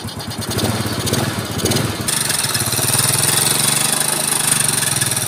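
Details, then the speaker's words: Yamaha Mio scooter after restoration, Supra carburetor with no air filter fitted so intake hiss, intake covered for clarity; quick even putter with no ticking or knocking, very smooth normal idle. "coba saya tutup biar jelas suaranya suaranya ya tuh ini benar-benar sempurna guys halus"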